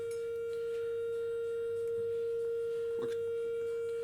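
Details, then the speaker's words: Intermittent Fender Deluxe Reverb combo amp being tested: a steady mid-pitched test tone with faint higher overtones, buzzy rather than a pure sine wave; something is distorting for an unknown reason, scope check planned. "I mean, they're bright amps, but it's supposed to be a sine wave, so something's distorting there."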